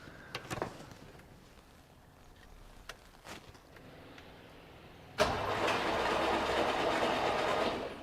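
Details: 1969 Opel GT stored for 20 years, cranked with the spark plugs out to clear debris from the cylinders; about three seconds of fast, even starter whirr with no compression chuffs.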